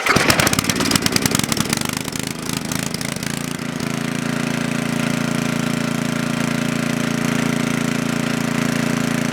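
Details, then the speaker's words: Coleman Powermate Maxa 5000 ER generator with a 110 V light load: a rough start settling into a wavering idle that only holds on half choke. With the choke fully open it starves for fuel; it runs lean and the carburettor needs cleaning. "it runs on half choke, but it starts, the governor takes over, and it's starving for fuel when you put the choke all the way open."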